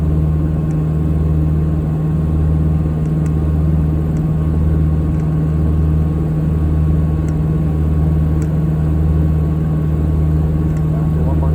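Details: Piper PA-30 Twin Comanche gear transmission: steady low electric-motor drone with faint sharp clicks roughly once a second during landing gear retraction; cause unknown.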